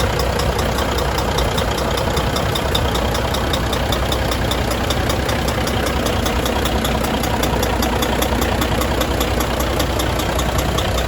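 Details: Volvo FH600 16-litre D16 diesel after repair of rust in cylinder six from moisture and a bent valve, first start after refilling antifreeze and oil; even idle with smooth steady clatter, no misses or heavy knocks, sounds healthy.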